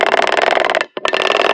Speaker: This is only under about 45 pounds of weight. You can hear it chatter, but also you can feel it chatter, which is really annoying.